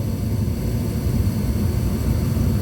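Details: Gas furnace that kept shutting off after about 15 seconds, now after cleaning carbon off the flame sensor: steady, even low roar of burner and blower that holds without dropping out, so the furnace stays lit and runs normally.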